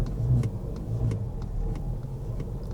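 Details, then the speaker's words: Nissan Rogue rental car, engine just started: low uneven rumble, ragged hesitating stumble when throttle is blipped, then cuts off; owner suspects dirty mass airflow sensor and air filter. "So the engine speed just went up, and you can hear the car's running hard as heck right now. It's stumbling. I hit the gas."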